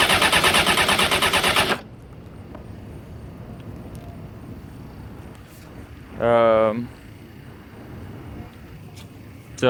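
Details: 2001 Honda CBR F4i motorcycle, partly disassembled, won't start even on jump start: fast, even starter whir in short bursts, nothing catching between tries; crank but no start.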